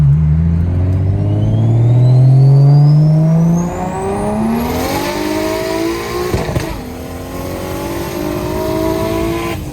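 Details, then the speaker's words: BMW 335 with new Pulsar 6466 turbo at 20 psi boost, full pull through the gears: pitch climbing steadily with a rising turbo whistle and clean shifts; normal spool. "guys I was on 20 psi like that that felt [ __ ] crazy like it was like the turbo like I mean it's a big turbos doesn't it take a little bit but like it just feels nice"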